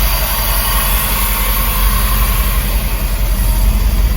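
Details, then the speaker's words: Old Ford truck, 390 FE V8 with Edelbrock 4-barrel carburettor, warm after several starts and tuning, steady even idle rumble with no popping or backfiring; alternator bearing needs replacing: normal warm idle. "pretty happy with that I'll try it again tomorrow when it's cold on Startup to see if uh if it does backfire on Startup when it's cold but it's certainly not back throwing now which is great"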